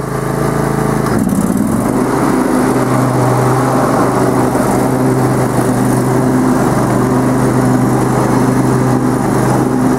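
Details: Lawn tractor mower deck after a broken pulley was TIG-welded and the bearing housings made greasable with grease fittings: steady, even engine drone and blade hum at one pitch, no knocks, squeal or grinding; runs smoothly.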